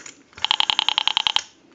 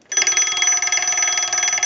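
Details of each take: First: so that heavy clicking that pulse signal noise in the receiver indicates that the rotary dial in this case has been wired improperl Second: Western Electric 202 rotary desk telephone's separate bell box sent a ring cycle from an analyzer: clear, steady double-gong ringing at a fast even clatter, then a clean ring-out; the bell strikes properly.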